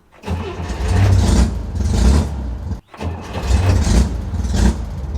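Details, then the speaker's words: Air-cooled car, warm engine after a fix for an intermittent hot no-start: on restart it cranks briefly and catches promptly, settling into an even idle. An earlier attempt had the solenoid engage without cranking. Normal hot restart, problem assumed fixed. "I'm going to assume that we have fixed the problem because, yeah, at this point, I always dreaded having to restart the car after it warmed up because it would intermittently do a no start."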